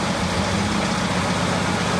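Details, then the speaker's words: Chevrolet Chevette idling with a steady low hum and a rough whirring while the clutch pedal is pressed, said to be three times worse when driving; owner suspects a worn clutch disc or low gearbox oil, and third gear was hard to engage. "quando pisa na embreagem [Música] para ó andando fica três vezes pior"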